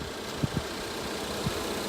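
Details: 2019 Ford Fusion Titanium, regular gas, idling after exiting with hood about to be opened: quiet, even hum with a few light handling thumps but no engine knocks; sounds healthy.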